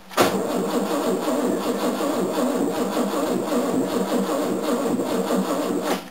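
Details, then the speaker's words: 1969 Mercedes W111 220Sb after oil service, hard to start when hot, old marine battery low: steady labored cranking for about six seconds without catching, starter dragging slowly; weak battery, later replaced and it started happily. "I don't think this battery's going to let me oh well let's pump the gas like three times"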